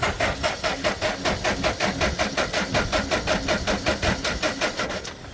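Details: Franna crane diesel engine run by spraying diesel into the intake: uneven, pulsing running about four beats a second, lumpy and labouring; fuel starving from sticking injection pump plungers, might stop within two or three minutes.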